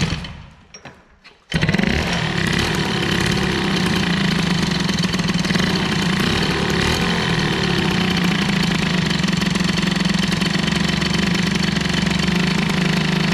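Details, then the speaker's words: Moped with an air-cooled hybrid BOOST cylinder head during run-in: starts after a second, then a loud, steady buzzing run with a strong low drone, abnormally noisy; the angled exhaust ball joint leaks and owner suspects another exhaust is needed. "j'aimerais bien que ça fasse moins de bruit mais ça va pas être facile"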